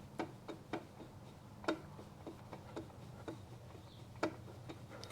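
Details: 1973 Yamaha CT-3 175 Enduro, engine stopped, crankshaft rocked by hand. Sharp, uneven clicks come from worn main bearings with play roughly estimated at 0.008 in by dial indicator, before new main bearings are fitted.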